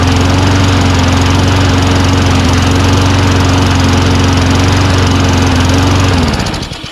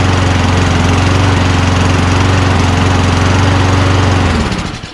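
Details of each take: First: Toro Recycler Personal Pace push mower built from two junk units, first run on pull start: steady low lazy drone then winds down; speed about 2,800 rpm versus 3,200 expected, governor bar to adjust. Engine speed too low. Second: Toro Recycler Personal Pace push mower assembled from two junk units. Even, steady engine note with a clean regular beat and no misses or surging, then winds down at shutoff. Rpm is about 2,800 against an expected 3,200. Runs normally.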